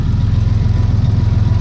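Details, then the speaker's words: Turbo GM 3800 V6 Camaro idling on new full 3-inch exhaust, first run with new serpentine belt setup: deep even pulses with faint turbo whine, pressure felt in the line; owner hears a possible tiny exhaust leak. "I feel pressure in the line. Turbo's spinning. You can actually hear it slightly bit. Sounds nice and deep."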